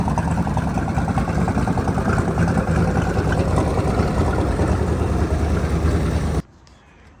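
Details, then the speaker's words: Boat engine with a newly installed alternator and a rebuilt Berkeley jet pump, running on a water hose: a steady, even idle with a soft regular beat and a faint light lifter tick; charging reads 13 with batteries a little low, and it runs normally. "We got it running. This charging was a 13. The batteries were a little low. Bell's running true. Sounds good."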